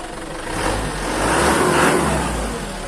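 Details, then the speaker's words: Used Isuzu Elf microbus diesel during pre-purchase check, revved from idle and back: smooth climb and return, not too noisy, no knock, miss or vibration; judged normal. "nah ini kondisi normal nggak dicas ya Hai gak ada getaran sama sekali"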